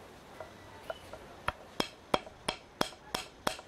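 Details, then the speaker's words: Worn suspension ball joint on a car's front end, rocked by hand, gives sharp separate knocks about three per second; the knock carries through the knuckle, spring and shock into the body as a tapping. "vendo ó ó e é esse barulho aqui Tech Tech Tech Tech Tech Tech que transmite para manga da suspensão"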